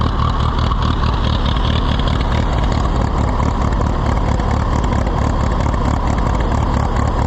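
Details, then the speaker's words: Allis-Chalmers WD tractor, possibly with a WD45 engine, first start attempt: deep loping idle with stumbling firing pulses, never smooth, likely to quit. Rough running; the carburetor is suspected. "well let's try to get it away before it quits it's going to quit before we get there but sure carburetor is not happy"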